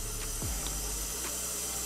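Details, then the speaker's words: Powered studio monitors connected through a TC Electronic Monitor Pilot, switched on with no signal playing: a steady, quiet high hiss runs the whole time; a constant hiss the owner could never get rid of while recording. "for some reason it always had a hits to it and i could never get it to find out how to get it to stop as i'm recording or anything"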